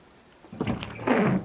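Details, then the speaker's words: Windshield wiper run on a lightly wetted screen to simulate drizzle: a few quick juddering thumps near the end of the sweep as the blade chatters, caused by a slightly bent wiper frame, not a torn blade. "Você liga o estacionário, liga o limpador e de repente ele começa a fazer esse barulho, ó, trepidar."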